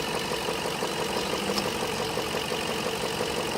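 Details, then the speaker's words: 2005 Range Rover idling with gauges attached, AC complaint of no cold air: steady light ticking near three per second over engine drone as compressor clutch engages, pressures behave normally; compressor fine, bad water control valve the eventual fix. "the compressor seems to be working good you can hear it kick on"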